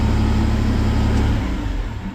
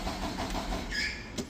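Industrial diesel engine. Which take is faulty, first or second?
second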